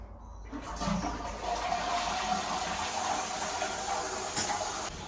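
A strong rushing flush that settles into a steady refill hiss with no gurgling or trickle, so the cistern is working normally.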